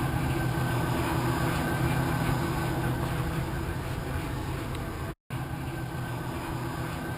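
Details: 2001 Ford E-250 van after a DIY in-tank fuel pump replacement: an even, steady engine drone with no stumble, misfire or knock, a smooth, settled idle.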